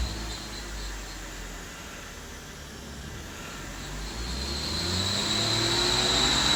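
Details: 2012 BMW 135i N55 revving past 2,000 rpm: a high, thin squeal builds and climbs with revs over the engine rumble, audible from the driver's seat; source in the engine bay not yet found.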